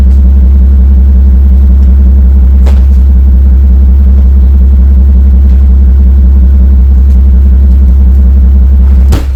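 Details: Mercedes-Benz SL600 R230 V12 biturbo with no power and misfires on 5 of 6 passenger-side cylinders; the broken, glued top MAP sensor is replaced; deep low rumble at idle with an uneven lumpy beat and occasional stumbles, misfiring on several cylinders.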